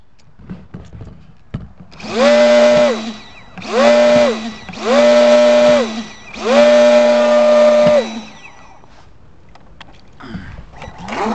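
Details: FT012 RC boat, motor screams at high rpm but won't accelerate: four bursts of high whine cutting off as the shaft drops in and out at full throttle; set screws, prop, shaft checked fine, owner suspects the motor.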